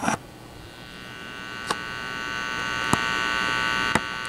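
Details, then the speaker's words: Airline farm radio model 04WG-468, plugged in with power switch off: steady low 60-cycle hum with a buzzy edge from the speaker, mains leaking into the audio. "You hear that 60 cycle hum coming out of the speaker with the power switch off? Something ain't right."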